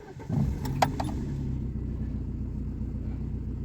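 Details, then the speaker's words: ВАЗ 2115 that started hard and stalled when cold, after replacing intake/injector seals for air leaks: cold engine catches quickly and idles evenly with no miss, no leaks, no errors. "ну мотор робить гарно безтроєній А немає ніяких підсосів Я перевіряв все"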